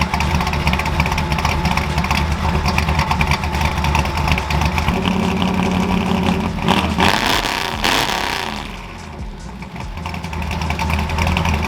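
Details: Ford F100 carbureted V8 just after installing a McLeod aluminum lightweight flywheel and Super Street Pro clutch, exhaust back on; expected higher pitch from less rotating mass. Even idle burble, quick blip climbs freely and drops cleanly; normal running and revving.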